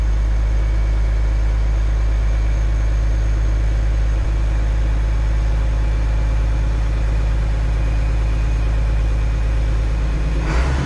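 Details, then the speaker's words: International Harvester 1086 turbo diesel tractor idling just after start, throttle raised, waiting for clutch pressure light to go out; deep steady idle with faint high turbo spooling whistle, no knocks; healthy. "And this is a turbo, you can hear it spooling, it's kind of cool."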